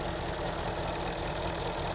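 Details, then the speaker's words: 2005 BMW E53 X5 with N62 4.4L V8, Copart car, after fitting two new PCV valves and a new oil cap, running about 5-10 minutes and holding 500 rpm idle: low, slightly lumpy idle with irregular thumps; mild misfire persists but improved. "Seems to be running much better this time, but it's still misfiring. Running for about 10 minutes, seems to be still misfiring, but just slightly."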